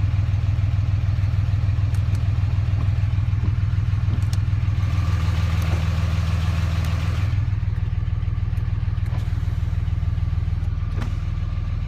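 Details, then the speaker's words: Dodge Ram 3500 dually, 6-speed, 4-wheel drive, 107,000, no check engine lights: started and idling, strong steady low-pitched idle with very regular firing, no misses or knock; healthy idle. "However, I will get inside here and start it up for you, let you hear it run."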